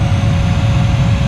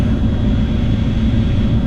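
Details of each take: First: 2009 Dodge Ram 1500 AC/heat blower motor just replaced, on high speed: thin steady whine over loud rushing airflow, possibly a slight clicking; new blower motor still whines somewhat. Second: 2009 Dodge Ram 1500 after blower motor replacement, speeds two to three: steady even airflow whir, faint constant high tone, old whine at two gone, slight possible new noise at three; blower running normally.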